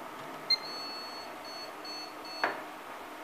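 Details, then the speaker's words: ASUS P8H61-M LX motherboard on bench power-up with VGA cable and beeper fitted, BIOS chip refitted; a few short high beeps, sounds like it will start but no video; corrupted BIOS, BIOS chip to be replaced. "Fez outro barulho, parece que é o barulho de que vai ligar, né? E não dá vídeo. Na minha opinião, mesmo problema."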